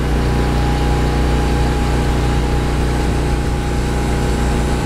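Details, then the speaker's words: Briggs & Stratton 8 kW tri-fuel generator running on propane under heavy load starting an AC unit: steady even drone without hunting or surging, much smoother than on gasoline, which owner says needs a carburetor jet change; normal running under load. "there it is running on propane let me see 23 on that one 27 on that 26 Still listen to the motor [Music] underload much smoother much much smoother"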